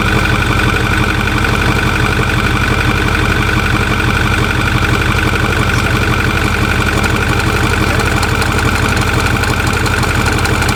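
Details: Truck at idle after pulleys were changed: regular knock about three per second over low rumble, worst since pulley change and not improving; source not found.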